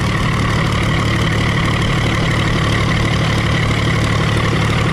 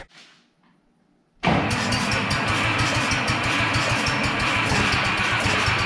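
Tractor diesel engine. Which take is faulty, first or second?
second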